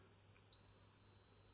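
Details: Philips Model 148 tube radio, completely deaf after full tube replacement: the continuity tester gives a steady, high-pitched, continuous beep, showing a dead short to ground through the trimmer capacitor.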